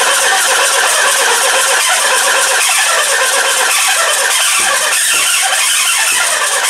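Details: Mitsubishi RVR 2.0 L petrol with electrical faults: loud, uneven cranking with ragged catches as it tries to fire on fuel poured into the intake, wetting the plugs. Injectors aren't delivering fuel.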